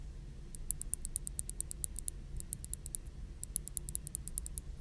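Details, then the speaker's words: Logitech G604 mouse switch comparison, original Omron versus firmer Kailh 80M replacement switch: crisp sharp clicks in quick bursts of about a dozen over quiet room hum; healthy, firm switch, to replace the double-clicking left-button switch. "these are kale ADM switches they have a little more firm of a button so you can listen to the click on this Omron switch versus the kale"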